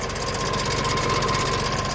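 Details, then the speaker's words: Neglected John Deere 2150 utility tractor diesel, first start by jumping starter without fuel system work: idle with rapid even ticking at engine speed, owner unsure if internal or external. "Although, it definitely sounds like it's got a kick. I don't know if that's internally or"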